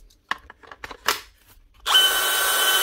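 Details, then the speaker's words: Dewalt DCD996 drill whose motor had jammed because the fan melted onto the gearbox cover, after repair (dismantled, melted bits cleaned, fan filed back): a few clicks, then the motor spins up to a steady, even high whine with no binding or grinding; normal running. "One Dewalt DCD 996 with a jammed up motor because the fan melted onto the gearbox cover. Dismantle it, clean up the melted bits, file back the fan a little bit, and that's her, ready to go."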